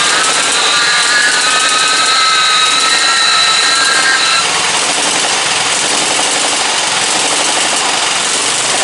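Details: Briggs & Stratton 17.5 OHV single-cylinder lawnmower engine, muffler fitted, bottle-fed fuel, on a substitute carburetor; busy, slightly uneven beat with pitch wobble, running rough; carburetor judged junk, other carburetor to be refitted.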